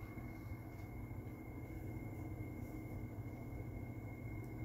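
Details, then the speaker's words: Window air conditioner fan on low: steady low rumble with thin constant whine, worn fan motor bearings louder than the fan itself; owner's diagnosis, unconfirmed. "listen to that you can't even hear that fan you can hear the worn out bearings in it over the fan itself so can you imagine what this thing sound like without the worn out bearings the thing would be silent"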